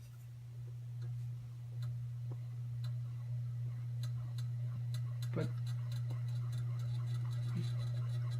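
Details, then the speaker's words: Ceiling fan with a known bad capacitor, running on high speed: steady low electrical hum with faint ticking, starts on its own but stays slow and sluggish; low and medium speeds work fine. "other two speeds work fine but our high is very slow and sluggish"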